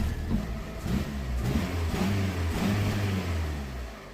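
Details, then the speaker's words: 2011 Ford Ka 1.2 after replacing the two middle injectors (one faulty, one worn, P0203 misfire): revs pick up cleanly through blips and settle smoothly, no stumble; running fine, no misfires. "the rev's okay I don't see nothing wrong with it"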